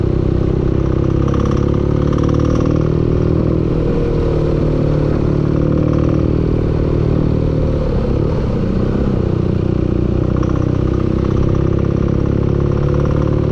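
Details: Steady loud engine note with a dense clattering knock running through it; engine knocking, cause not confirmed.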